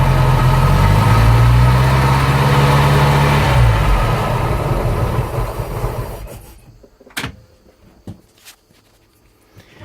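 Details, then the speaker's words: 1985 Bayliner Trophy boat engine, not in the water for about 3 years, running after a distributor cap, plugs, wires and points service and ether through a carb not passing fuel: a steady deep rumble with even firing, then a clean shutoff. Runs normally. "Well, it runs. See if I can get it to idle when I throttle back down. But she's running."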